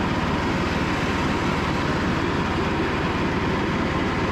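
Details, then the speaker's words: Cub Cadet lawn tractor after 3+ years sitting, charging system fixed, test run: steady, even engine thrum with fast regular firing, no knocks or misses; normal running. "But we'll go ahead and just give it a little test run, show you guys everything, and we'll call it a day."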